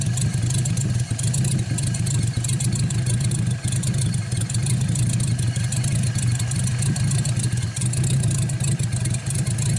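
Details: 1949 Buick straight-eight, first start in years, restarted after cooling down and refuelling: deep, even rumble that picks up cleanly on revs and settles back without misses; runs really good.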